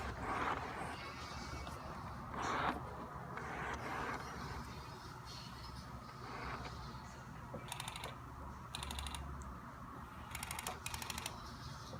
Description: Strange noise on lense, I've never owned this type of lense I don't know if it's normal, help..